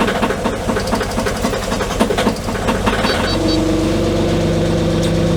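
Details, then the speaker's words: Kubota KX040 open-station excavator diesel cold start at -30°C after a -40°C night, unused for weeks, glowed three times with electric glow plugs: very slow, labored cranking for about three seconds, then it fires and settles into a steady idle with no real issue. "Golden. So whenever you can hear that one, it's very, very slow to roll over, but fired up, no real issue on it."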